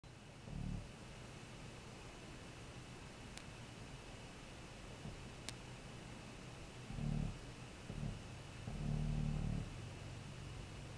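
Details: Short, low-frequency buzzing bursts heard through a quiet bedroom wall, worst in a breeze. A tree branch was rubbing the phone line on the outside of the house; trimming the branches stopped the noise.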